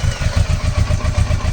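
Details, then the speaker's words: Kawasaki Versys 650 after trimming the cracked ends off the IAP sensor vacuum pipe and refitting it as a temporary fix: even, steady putter of about eight pulses a second, and the earlier hissing air-leak noise is gone; normal idle. "oh yes so if you can see that sound has disappeared so the noise that it was making it has disappeared so this works"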